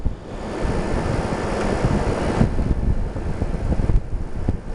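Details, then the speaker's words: Whirlpool 10,000 BTU window air conditioner (about 2000–2006) with unusual compressor, not yet cold; steady even fan air rush over low compressor hum, no rattles or knocks: normal quiet running; owner notes an unexplained rattle at other times. "i mean really this thing runs fine takes a little bit to get cool it's not there yet there's a lot of air too if you put it up on the high and it is quite quiet"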